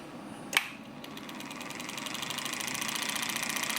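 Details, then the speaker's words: Pride power chair drive motor. A fast, even clicking starts with the motor and speeds up with it; it seems to come from the motor and a brush, not the gearbox. The owner suspects the rotor may be interfering with the casing. "the way that clicking sound is one of the motor brushes you know what I think this motor might be so that sounds not coming from the gearbox"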